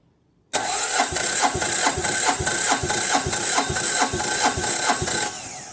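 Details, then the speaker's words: Diesel machine reported for lack of power, preheated and cranked on site: steady cranking at about two compressions a second but it never catches; fuel in the system, suspected not getting through; crank, no start. "okay so um it didn't fire up and um I'm guessing uh that the fuel is not getting through"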